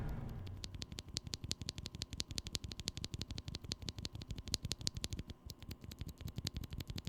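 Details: Glorious Panda switches with leaf spring also lubed, on a stock NovelKeys NK65 Entry Edition: rapid key presses about three per second, each a clean soft clack with no metallic leaf spring ping.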